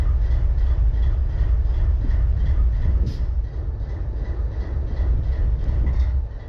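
Deep locomotive idle rumble with an uneven, lumpy pulse about three per second instead of a smooth drone: a cylinder misfiring at idle.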